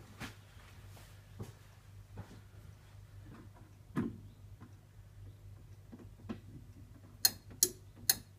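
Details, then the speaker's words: Headlamp relays clicking in as lights are switched on after battery reconnection with a newly installed relay unit: sharp dry clicks, a quick run of four near the end; relays pulling in normally. "you go that's the relay clicking in now"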